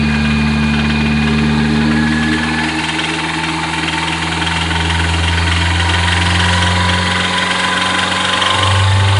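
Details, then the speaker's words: Nissan S14 SR20DET red top revved from idle: light regular tapping, apparently from the upper intake manifold area, persisting through the revs and fading at the top; owner unsure if rod knock or lifter. "so that's there's the noise but it doesn't really go away it kind of existed all the way up to my eyes so"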